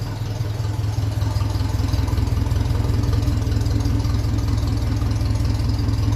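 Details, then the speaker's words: 1957 Ferguson 35 TVO tractor idling at about 600 rpm, warm, with a shorter underslung exhaust silencer fitted: low, even thump, steady with no misses or knocks; normal idle. "it sounds sounds nice ticking over"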